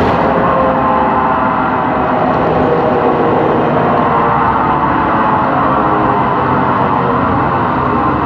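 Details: 2013 MAN Lion's City CNG bus, MAN E2876 LUH03 EEV turbo engine, ZF Ecolife 6AP1400B 6-speed: steady droning whine at constant pitch over running noise; faulty, noisy rear differential.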